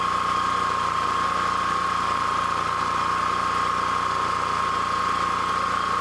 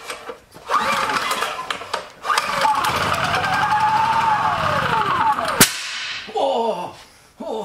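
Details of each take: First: Honda EB3000c generator running with stator wires disconnected from the inverter: smooth, even drone, steady hum, no surging or misses; engine runs normally, inverter diagnosed as bad. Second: Honda EB3000c generator start test: a couple of pulls, engine runs about three seconds, swells then sags and cuts out; green output light comes on then oil alert immediately; diagnosed as failed inverter.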